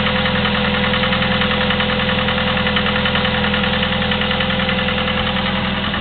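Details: Chevy S-10 2.2L, 154K miles, Flowmaster 40 exhaust: steady light ticking about three or four per second over even idle; valve clicking for 45K miles, cause unconfirmed.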